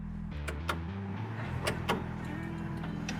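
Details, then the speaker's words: 1980-86 Ford F-150 wiper system: a few sharp clicks over low steady hum from the module while the grounded old wiper motor never moves; clicking indicates failed wiper motor, replaced with new aftermarket motor. "As a matter of fact, the little module under here, I don't know if you can hear it or not, making those clicking noises. That's actually a way for you to know that there's something going on with your motor if that module clicks like that."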